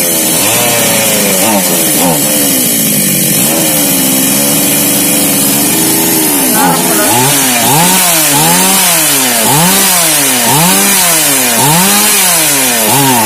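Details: Mini chainsaw that was hard to start, after repair: sharp two-stroke buzz rising and falling with each blip, catching and revving cleanly every time; the saw now runs normally.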